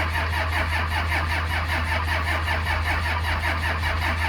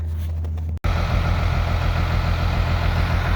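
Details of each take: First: 1949 Chevy COE pickup with 12-valve Cummins turbo diesel, no preheater, sitting months in snow at about minus five degrees: steady fast cranking about 2.5 pulses per second with faint catches and soot; won't start yet, cold suspected. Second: 12-valve Cummins diesel, automatic, in a 1949 Chevy cab-over truck, started after a couple of hours warming in a heated shop (the battery had failed on the cold attempt): the engine catches and settles into an even, deep, healthy diesel idle.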